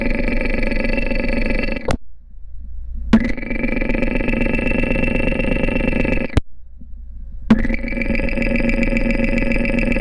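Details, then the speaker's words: Porsche 944 idling, heard up close over the camshaft housing: fast, light valve train ticking clatter, worse over recent miles; lifter number two seems loudest, owner suspects a partially clogged hydraulic lifter, possibly from oil sludge. "after listening to various spots across the camshaft housing it sounds like lifter number two is clocking a bit more than the others"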